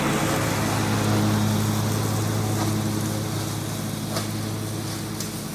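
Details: John Deere 345 with Kawasaki FD611V V-twin at about 490 hours, after revival repairs and a fuel filter change. Steady, even low drone under mowing load with no misses, knocks or surging; runs smooth and uses no oil.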